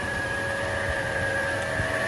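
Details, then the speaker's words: Mercedes 560SEC W126 that will only start and run on starter fluid, with the fuel pump relay jumped. A steady hum with low and high whining tones comes from the pumps running. Fuel comes out of the disconnected line, pressure unknown; the owner has bought new pumps. "i've disconnected it right here and fuel comes out of it i don't know if the pressure is enough but fuel comes out of that when i jump yeah when i jump the uh relay"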